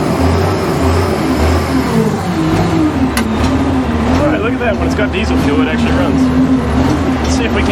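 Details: Diesel loader "Fat Alice" after running out of fuel, refuelling and bleeding air from the filter: steady idle clatter with light wavering drone and even firing; running smoothly and healthy; normal running.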